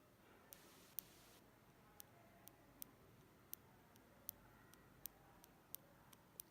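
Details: 2016 MacBook Pro Touch Bar keyboard with some keys sounding different: these keys give crisp, light single clicks roughly every half second over a quiet room, no squeak or rattle, where the high-pitched noise is absent; normal key sound.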